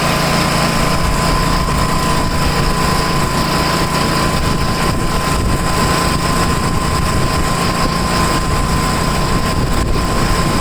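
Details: Tecumseh snow blower engine, started after sitting 10 months, with new adjustable-mixture carburetor, throttle at high speed: steady even drone with no surging or misfires; normal running.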